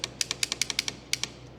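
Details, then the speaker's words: 1952 Caterpillar D4 dozer that sat 10+ years: starter solenoid fed directly from a jump pack, bypassing the battery cables, with the starter band missing. Sharp dry clicks in quick bursts with no cranking; it clicks only about half the times it is hit, so the solenoid is hanging up or corroded. "Well, the solenoid, it was working a little bit. You can hear it clicking, but I'm hitting it about twice as many times as it's clicking, so the solenoid is hanging up or corroded."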